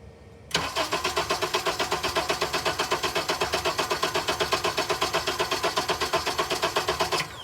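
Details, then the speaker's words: Engine cranked about seven seconds without firing, even starter beat about four per second, with in-cylinder transducer on cylinder 1, where both intake valves were deliberately set with excessive lash, compared against a cylinder at specification. "I have created excessive intake lash on both the intake valves on that cylinder, and we're going to see the effect of that."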